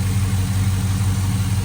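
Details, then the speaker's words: 2005 Chevrolet Silverado 5.3 after factory valve covers, AC Delco gaskets and new PCV tube replaced leaking aftermarket covers: steady, even low idle with no hiss, stumble or hunting; normal idle, vacuum leak gone. "Well, sounds pretty good to me. I don't hear any more vacuum leaks."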